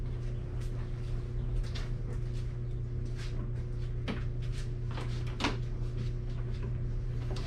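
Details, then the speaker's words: Briggs & Stratton engine after governed-speed (RPM) adjustment, just refueled: low, even hum that surged slightly at first but levels out steadily with no hunting; governed speed sounds right. "it was leveling out so the rpm sounds good to me"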